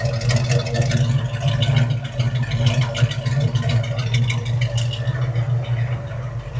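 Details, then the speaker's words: 1968 Ford Mustang with a 289 V8 that ran rough when bought: deep, steady idle with an even lumpy beat and slight clatter on top, no misses. Now running smoothly, the roughness seemingly partly solved. "But listen, this car ran, but ran rough when we got it to just put it on the trailer. But hey, again, way ahead of the game driving it on the car trailer. From what it sounds like, we may have solved some of that"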